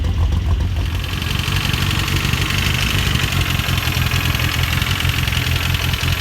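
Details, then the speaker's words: Ford Escort RS Turbo started after four to six years sitting, on a temporary substitute fuel pump; owner had feared the engine was seized: steady low idle with a faint high fuel pump hum, even with no knocks or misses; normal idle. "i was actually thinking do you know what the engine seized but as you see it's all running driving and i'm happy"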